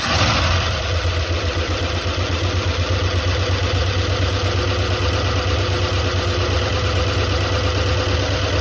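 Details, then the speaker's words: 1976 Ford F-250 highboy, first runs after 15 years and a carburetor rebuild (stuck needle and seat): lumpy, uneven, stumbling V8 idle, still misfiring on some cylinders. "heck yeah brother it's run on like two cylinders but holy smoke that's gas"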